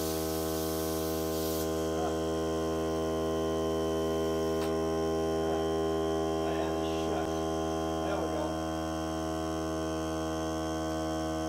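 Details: Hart cordless air compressor during break-in run on a fully charged battery (30 minutes or until the battery dies), pressure around 30, hose connected; steady even motor hum with smooth regular pulse, no hissing, normal running under load.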